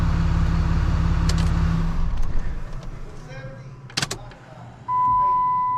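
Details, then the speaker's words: Freshly rebuilt 6.7 Cummins diesel idling in the shop after warm-up, then shut down for the hot-retorque teardown; check engine light on, which the owner believes is turbo-related: a deep, even thrum, "purring"; a normal idle. "purring. I love it."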